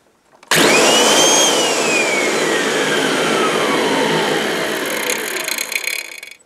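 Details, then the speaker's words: Kirby vacuum cleaner set up for blowing with intake guard fitted, switched off: loud motor whine falls smoothly as it spins down, faint scraping rustle at the end; owner suspects something caught in the fan. "in fact it's making a funny noise folks I don't know if there's something caught in the fan when I switch it off"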